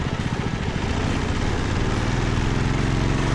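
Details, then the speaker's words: Group 3 racing lawnmower single-cylinder engine under load after fitting a 0.7 mm shorter clutch dowel to cure slipping on exit: loud, even drone with no flaring or chatter; clutch grips normally. "Yeah, no slipping. Happy with that."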